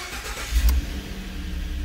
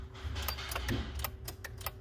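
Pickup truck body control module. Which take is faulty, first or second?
second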